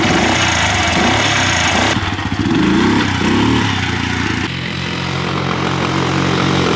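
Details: 1985 Yamaha three-wheeler ATV, barn find that sat about seven years after kerosene was put in the tank; after top-end rebuild with new exhaust valves, pull-started with no battery: loud, choppy single-cylinder beat, a couple of rev changes, then a steady run, running normally.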